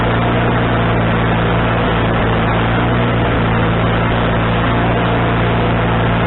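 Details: Wood-Mizer LT40HD sawmill engine with a newly replaced carburetor, mixture screw set three turns out, not sawing: even, steady low drone holding constant with no surging or hunting; mixture sounds properly set, owner thinks it is now right.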